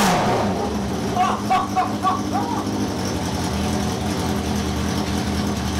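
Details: Four-cylinder motorcycle running for the first time in 21 years after a carburettor rebuild and rewiring: revs unevenly, exhaust stumbling and dropping beats; strange misfire, possibly flooding or fuel not yet through.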